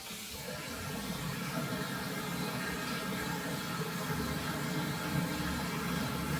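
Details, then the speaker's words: Viessmann Vitodens 100 B1HA/B1KA boiler after troubleshooting F38 fault and bleeding air from the system: even steady burner rush with no gurgling or air surging through the pipes; fires normally and quietly. "okay the boiler just fired it's nice and quiet now we don't hear that air going through the boiler"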